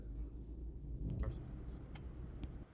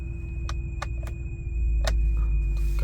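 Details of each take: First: 2004 BMW 7 Series 3600cc petrol V8 restarted after replacing ignition coils on cylinders 4 and 7 that caused misfire: even, steady low rumble, smooth normal idle with no misfire; still slightly hard starting. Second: 2004 BMW 7 Series 3600cc petrol V8 at idle, also long-cranking on mornings: low idle rumble with irregular ticks, a slight misfire, traced to failing ignition coils.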